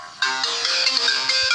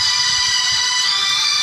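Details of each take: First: Samsung Galaxy A10s (A107F) after Android update, ringtone at reduced volume: harsh, crackly, tinny speaker output at the top end; ringer and PCB swaps didn't help; distortion caused by the faulty firmware. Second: Samsung Galaxy A10s (A107F) loudspeaker playing a ringtone after a software fix for distorted, overly loud sound. It plays loud and clean with no crackle, rattle or buzz; the speaker works normally.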